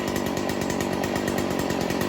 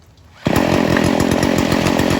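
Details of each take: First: Stihl FS 40c trimmer two-stroke with the low-speed screw turned too far left (too rich): an uneven, blubbery idle that loads up and wants to quit, with smoke from too much fuel. The fix is turning the screw back in. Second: Stihl FS 40C two-stroke trimmer during carburetor tuning, idle screw bottomed then opened about three quarters of a turn: starts and holds a fast, even idle with no hunting; normal idle.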